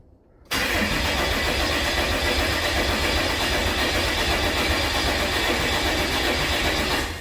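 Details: 6.7 Cummins swapped hotshot truck, about 600 hp, cranking with injectors unplugged to build oil pressure: steady rhythmic churning about four beats a second, no fire; torque converter loose, bolts missing.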